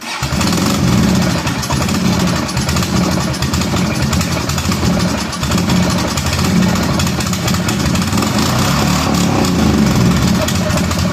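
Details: Kawasaki Prairie 400 ATV single-cylinder, after being brought to run and blowing smoke: stumbling, chugging idle with uneven beats, barely staying running; cause not confirmed.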